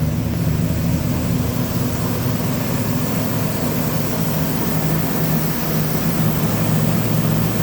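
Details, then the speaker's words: Chevy S10 with a cammed V6, first cold start in six months after a new clutch, new flywheel and rebuilt power steering pump: it fires on the first try after a brief hesitation and settles into a steady, choppy cam-lope idle with no knocks; healthy. "okay fired up on the first try it hesitated there for a second but it fired up yeah that's what that uh cam v6 sounds like"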